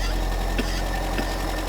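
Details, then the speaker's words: 1980s Daihatsu F20 4x4 started for the first time in years, carburetor untouched: low idle with an occasional faint stumble, slightly rough but running well. "that sounds bloody good yes it's a bit coffee and FY but we haven't even touched the carburetor have we"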